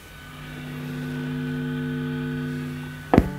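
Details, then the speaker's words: Stratocaster single-coil pickups after DIY copper-tape shielding directly on the wire. Steady low mains hum with buzzy overtones, then a sharp knock near the end; hum only slightly reduced, if at all. "So I can't I can't hear a difference in the sound, but I also hear don't hear a lot of difference in the noise reduction."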